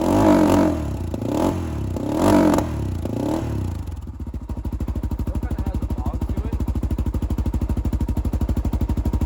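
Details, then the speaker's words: 2007 Honda 400EX after carb work, choke off: three or four heavy, muffled blips that won't pick up cleanly, then lumpy idle; no longer dies on throttle but still bogs, running too rich. "um but yeah when I give it gas again it's not dying like it was before but it still kind of has that fog so we'll take it for a ride"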